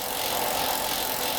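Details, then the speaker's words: Pinnacle bicycle, collapsed bottom bracket, rear wheel freewheeling: coarse, gritty rattling rumble; worn rear axle cup-and-cone bearings, not the freehub bearings, and a failed cup on that side would mean replacing the freehub too. "I think all I can hear is the is the be is the W axle bearings not the uh not the free hub bearings"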